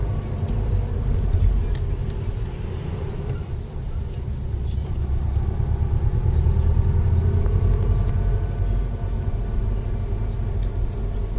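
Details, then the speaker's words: Subaru Impreza WRX new-age, center diff bearing whine around 28–30 mph, faint in first and second at low speed, prominent in third to fifth; pitch rises with road speed, unchanged across gear changes, over road rumble. "tuned into it you got good enough ears you can hear it every gear all the way up you'll know it's Cent diff because the noise speeds up with the car doesn't change in gear changes"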